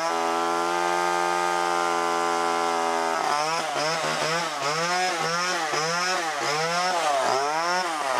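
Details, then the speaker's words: Old garbage-picked Homelite XL chainsaw: steady two-stroke buzz, then surging up and down while cutting; runs cleaner the longer it works, owner says the carb cleaned itself out with use. "it turned into soil but it did fine more I cut with it more that carb cleaned itself out"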